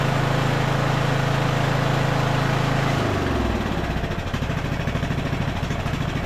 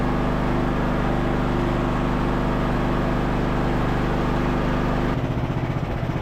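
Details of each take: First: Craftsman LT1000 riding mower being revived, carburetor rebuilt with mixture screw fully out: runs fast and steady then drops into slow, uneven, hunting chug; mixture screw misadjusted, fixed by opening about half a turn for more fuel. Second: Revived Craftsman LT1000 riding mower, single-cylinder, being driven through its 6-speed gears: steady, even putter throughout with no misses or knocks; running really smooth, though brakes won't hold on a hill.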